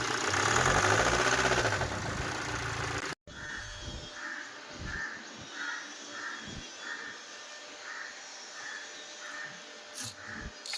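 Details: BMW X1 diesel at idle: a steady, sharp knock about four times a second over the diesel clatter, diagnosed as connecting rod knock, pointing to a worn rod bearing.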